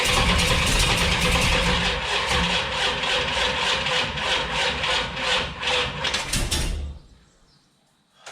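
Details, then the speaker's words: 408 stroker small-block Mopar (from a 360), carbureted without a choke, with HEI ignition, on cam break-in start. The starter churns slowly for seven seconds without catching; the battery is suspected of giving too little voltage. "that battery sounds terrible yeah you want to maybe we'll change that battery"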